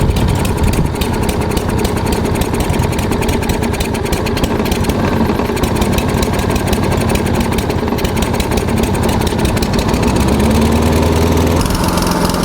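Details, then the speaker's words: Roughly 15-year-old walk-behind lawn mower, stored outside over winter, just started and warming up: small single-cylinder engine at steady, even idle with no misses, knocks or surging; sounds healthy. "Alright, sounds like it's going. Now I think we're just gonna let it idle like this until it warms up."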